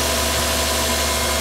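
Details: 1996 Toyota Cresta JZX100, after fuel pump replacement to fix a crank-no-start: steady even idle with smooth low hum, no knocks, misses or stumbles; normal idle.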